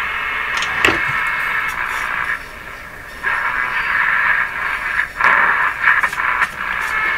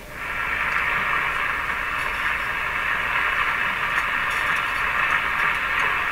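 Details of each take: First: RCA Victor A23 tube radio on the AM band at full power after repairing the damaged antenna coil (now about 2 ohms): hissy, crackling signal with faint audio drifting through at steady level; AM reception normal. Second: RCA Victor A23 tube radio on the 9/11/15 MHz shortwave band after antenna coil repair: steady hiss and static, no station or voice; set works but gets no shortwave reception because it is unaligned.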